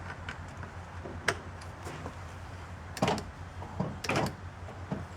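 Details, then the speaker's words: 2006 Honda CR-V, newly replaced passenger-side door lock actuator tested after installation: short, crisp clunks as the lock cycles down and back up, each stroke quick and complete with no buzzing or hesitation; the actuator works properly. "Well, look at that. It went up and down and up."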